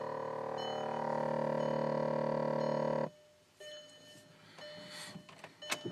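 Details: Car with a loud, steady electric buzz from the passenger side floor area that cuts off sharply, leaving faint tones and clicks. The buzzing is random and intermittent.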